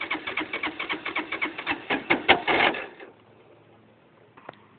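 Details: LF200III motorcycle won't start: starter cranks in quick, uneven chugs of nearly three a second for three seconds, the engine never fires, then it goes quiet.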